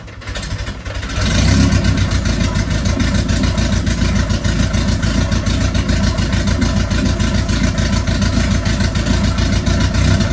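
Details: Mk1 Ford Fiesta with swapped Zetec turbo engine, first start after ECU fault fixed; lumpy, uneven idle wavering and stumbling, running far too rich; earlier attempt ran on only 2 cylinders and dumped oil; owner content for a first start.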